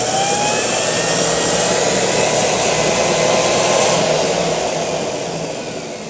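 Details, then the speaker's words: NordicTrack Incline Trainer X5 treadmill with no console display, reset button pushed up: loud hissing drone with rising whine for about four seconds, then the motor winds down and cuts out; sparks seen below, owner suspects a short. "what happens if I push it up into the reset position, it turns on for a short while and you can hear the motor just like bzzing, and then it turns off."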